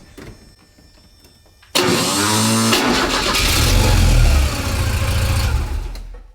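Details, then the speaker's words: 1983 Porsche 944, Autozone remanufactured starter, mic lowered under the car: harsh metallic grinding and whirring while cranking because the starter pinion does not throw out to engage the flywheel teeth, damaging the flywheel. "So the gear on the starter is not coming out. It's supposed to, the second that torques, that gear is supposed to force out and engage the teeth."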